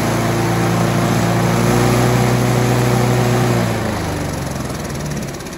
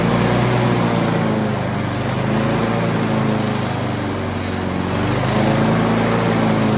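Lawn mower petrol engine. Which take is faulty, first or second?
second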